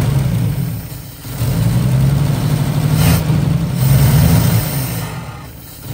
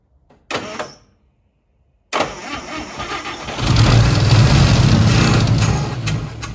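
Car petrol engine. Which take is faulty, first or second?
second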